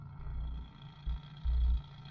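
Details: Mk3 Cortina 2000 GXL with BW35 automatic, idling, recorded from under the accelerator pedal: muffled idle with irregular low buzzing rattle bursts when the brake is operated. Rattling brake servo non-return (one-way) valve, to be fixed by fitting a new one-way valve.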